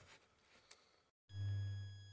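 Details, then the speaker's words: Citroën C6 2.2 HDi diesel at idle after replacing the inlet throttle unit (EGR-type error codes): low hum with a thin, steady high whistle, normal; the old unit was silent and the engine juddered at shutoff. "You might hear the whistling sound. That's the part that we've been changing today."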